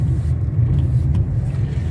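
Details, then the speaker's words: 2019 Nissan Versa with a hard-to-find suspension noise, driven after replacing worn sway-bar link bushings and links and a damaged control arm with ball joint: only a smooth road rumble, no clunks over bumps; quiet suspension after repair. "mas ficou perfeito o carro ficou simplesmente top de linha top top top"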